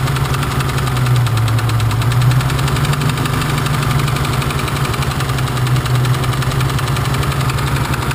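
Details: BMW engine at idle, cylinders being disabled one at a time to find the knocking one: fast, even tapping over a steady idle, unchanged throughout; a knock from inside the engine.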